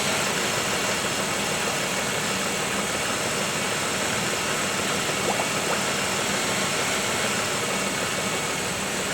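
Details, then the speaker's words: 1995 Oldsmobile 3800, 138,000 miles, first start after timing chain and timing cover service, bleeding coolant with the heater core getting heat: steady, even idle settling down, smooth low hum, faint fan hiss, no knocks or ticks; normal. "and look at that we have heap in our core you hear it idling down"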